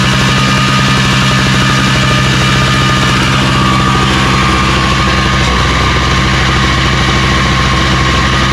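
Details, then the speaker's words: Craftsman snowblower started on electric start after priming on full choke and carb spray when pull starts failed: small single-cylinder engine runs steady and even with a clean rapid exhaust beat, no knocks or misses; nothing wrong. "so well there ain't no nothing wrong with this i just go ahead and put this up and sell it"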